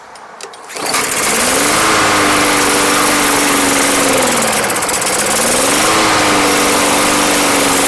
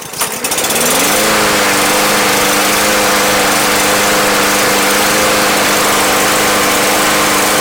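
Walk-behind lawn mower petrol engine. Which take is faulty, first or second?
first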